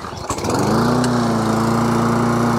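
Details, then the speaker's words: Webb lawn mower with Briggs & Stratton single-cylinder engine, previously running rough, after carburetor work (diaphragm gasket, jets) and spark plug check: catches quickly, steady even hum with no misses; normal running. "that sounds better yeah that's all good everything works as it should do awesome"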